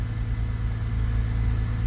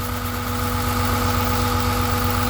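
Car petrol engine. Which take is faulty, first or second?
second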